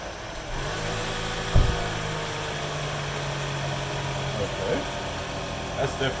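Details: Truck that won't start, tested after about two more hours of work cleaning all the electrical connectors: a steady starter whir turns the engine over for several seconds but it never catches. It cranks fine yet won't fire, cause not yet found.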